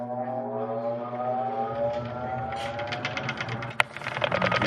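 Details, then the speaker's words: Whirlpool WTW4850XQ0 top-load washer, service test mode high spin, during actuator not-spinning diagnosis; smooth hum climbs steadily in pitch as drum spins up, no grinding or knocking; healthy spin. "so I'm going hit start I can hear the unit is beginning to spin right"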